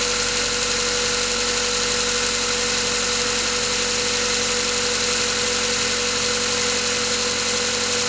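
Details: Mazda 3 cold start: steady mid-pitched drone with faint uneven tapping; cold engine knock.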